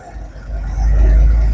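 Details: Daihatsu Coure engine after the pipe check: short stretch of steady low rumble, even and smooth with no hiss, whistle or ticking; idle sounds healthy.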